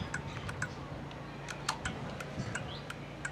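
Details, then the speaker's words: 2008 Yamaha V-Star 650 at spring start-up after winter storage: battery reinstalled reading 12.2 V, key on, engine not running, left turn signal on. Crisp ticks about twice a second over a faint hum; the turn signal relay clicking normally. "actually the relay for the turf signal only because I hear it clicking so FYI there's the turn signal relay if you ever have to replace it because I feel it clicking in my hand"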